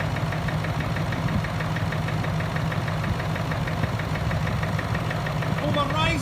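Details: Range Rover Vogue TDV8 diesel after no-crank no-start repair, reassembled: even steady idle with light regular clatter about three beats a second, no misses; sounds healthy.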